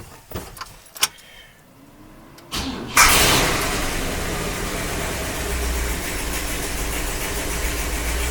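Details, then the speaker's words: 1956 Cadillac Sedan DeVille, start after replacing exhaust manifold gaskets: starts promptly, smooth even idle, manifold tick gone; exhaust leak fixed. "what we have no more tick that is very very good"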